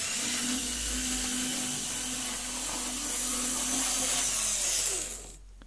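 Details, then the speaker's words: Cleaned Lima Class 55 Deltic model locomotive, no stay-alive, only three front axles powered, running fast. A steady high-pitched whirr with even gear whine and no stutter or stalling; normal running at high speed. "It's fast, but it hasn't stopped yet. And it'll go slow if I want it to."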